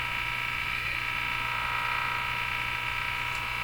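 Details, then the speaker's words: Northern Electric Baby Champ tube radio tuned off station while detector bias/AVC voltage is tested: harsh, steady electrical buzz with a high whining edge from the speaker; cause unclear. "Now let's see what happens with this bias if I tune off the station. Oh my gosh, what's that noise?"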